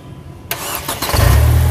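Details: Mercedes car unused about a month, would not crank; starter circuit jumped directly with a probe: short crank, engine fires right away rising to steady low idle, so starter works; suspected relay or supply fault.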